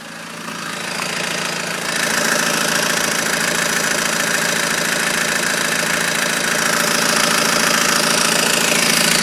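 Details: BMW 120d diesel at idle with abnormal noise low between engine and transmission, flywheel suspected; steady regular rattling clatter about three beats per second; cause unconfirmed.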